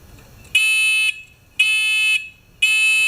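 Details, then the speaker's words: Discovery metal detector pinpointer during rework, sensitivity potentiometer set about a quarter way: three loud, clean high-pitched beeps about half a second long, roughly one a second; alert loud and working properly. "That is nice and loud."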